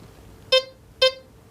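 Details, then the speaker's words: XP metal detector with the threshold control's iron threshold turned fully up: two short, clear high beeps about half a second apart over a quiet background; an iron target still signals, while auto mode gives nothing. "you've got a signal. It won't discriminate that out."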